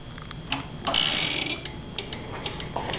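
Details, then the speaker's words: 2011 Kawasaki Ninja with aftermarket Bikemasters flush-mount turn signals and a DIY fender eliminator: quiet, uneven clicking from the indicator circuit, with a delay before blinking starts and a flash that seems a little too fast; the cause is not pinned down. "it takes for a while for this thing to turn. I mean, it works fine. It's just that noise."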